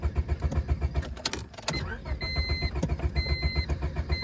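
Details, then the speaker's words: Honda Civic pulled from deep grass, fuel very low, cranking on level ground; steady starter cranking about four beats a second with a few faint pops ("a couple little burps") and door chime, won't catch. "oh a couple little burps"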